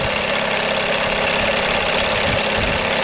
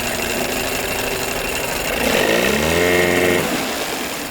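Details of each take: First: 1982 Evinrude 9.9 hp long-shaft two-stroke outboard, new thermostat and water pump, warming up: busy, buzzy crackling idle, steady level, perked up and idled a little higher with mixture screw back to middle; clean, even idle, good mixture. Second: 1982 Evinrude 9.9hp long shaft outboard, reassembled after paint, thermostat, water pump and crank seal work, idle turned down lower: a rough idle chatter sags in pitch and dies. It stalls; owner suspects a fuel issue and plans to raise the idle and retest.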